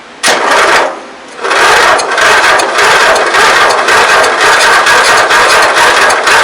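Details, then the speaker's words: 1994 MTD Vari Drive yard tractor, 11.5hp flathead Briggs & Stratton, revival attempt with a new plug, no compression test yet: sluggish, uneven slow cranking without catching; owner thinks the starter is weak. "I think that starter is weaker than hell."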